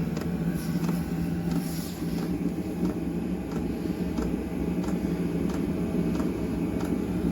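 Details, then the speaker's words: Chinese diesel air heater installed in a 1966 VW Beetle, running after start-up and still warming up: steady blower roar with soft even fuel-pump ticking about three per second, pump speeding up; puts out some heat, little exhaust; normal running. "you can hear it's getting faster pretty neat right and it does kick out some heat not getting a ton of exhaust"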